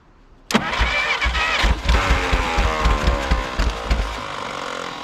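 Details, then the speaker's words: 1951 Willys CJ3A Jeep, last tagged 1969, fed fuel poured directly in instead of through the fuel pump: cranking breaks into ragged, stumbling half-catches, then it runs and smokes. The owner thinks it may have flooded. "So close. Woo! We got her running. She's smoking. Might have flooded her out there."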